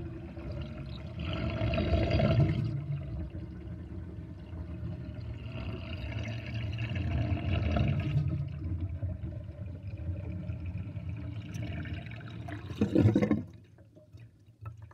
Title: Interesting kitchen sinkdrain with drainbasket and gurgling sound